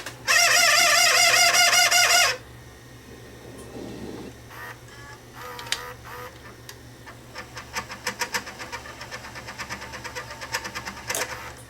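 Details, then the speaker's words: Sony SLVR1000 VCR, previously opened by its owner, in forward search: the mechanism whirs with steady clicking about three a second, louder than normal; dry bearing suspected, mode encoder switch also misbehaving. "I wonder what's making so much noiser when it's in forward search it sounds like a dry bearing is what it sounds like"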